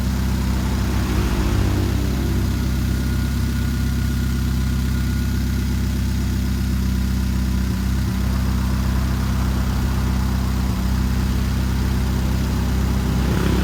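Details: 2013 Chevrolet Spark at idle: low rumble with an uneven beat and occasional brief dips in firing, like a cylinder dropping out; engine misfire.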